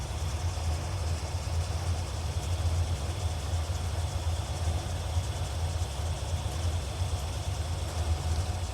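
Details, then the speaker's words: 1981 Chevrolet Corvette V8 after rocker nut replacement, idling warm after 10 minutes; low, steady burble with even beat, no ticks or knocks, no leaks, temperatures good, quieter than before. "all right she's been running for 10 minutes everything looks good no leaks temp temperatures are good she still sounds good no noise"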